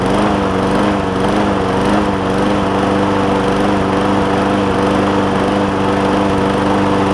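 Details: John Deere JA60 push mower after stuck-valve fix, cleaned carb, new fuel line and tank, a bit more throttle, no air filter: small uneven revs up and down, surging; debris suspected in a carb jet, lean.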